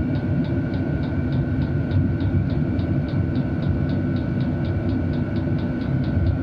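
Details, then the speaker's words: Cheap Chinese diesel heater at a cabin on a high H setting: quick even fuel-pump ticks about three a second over a steady fan rush; runs normally. "okay so I can hear sounds like the fuel pump is going quicker we turn it down it's definitely slowed [Music] down"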